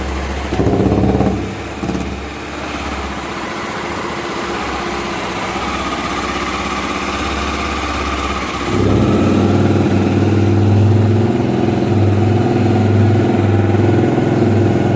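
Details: Honda Twister 250 single, first start after removing the head and re-threading two head bolts: a few uneven catches, then an even, steady idle of about three to four beats a second; runs healthy.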